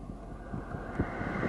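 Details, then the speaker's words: 2008 Mercedes CLS 550 AC blower, passenger side below glovebox, after replacing the squealing blower motor, AC turned up: soft, even rush of air with no squeal or chirp; blower running smoothly. "alright I'm not hearing anything and not hearing that squealing here"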